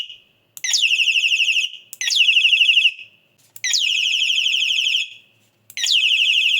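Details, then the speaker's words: Rechargeable bicycle headlight-horn unit after repair of a broken solder joint on the positive wire from charging board to battery, recharged: four loud clean warbling electronic horn bursts, strong and even; previously weak, now loud. "கொஞ்ச நேரம் charge போட்டு check பண்ணி பார்த்தேன். Horn sound சத்தமாக கேட்குது."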